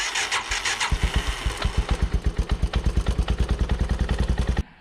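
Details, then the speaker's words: 1986 Yamaha YFM200DX Moto 4 during a regulator/rectifier swap, with a brand-new battery drained and too weak to crank alone, on a 12 A charger: steady, strong cranking at about six pulses per second, then it starts fine. "put the charger on at 12 amps crank it start it just fine"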